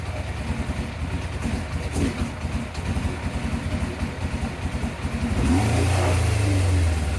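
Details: 1987 Yamaha FZR1000 Genesis after carb cleaning and priming: even idle then clean steady revving climb with no stumble, four-cylinder sounding like a sport bike; idle screw may need adjustment; healthy revving.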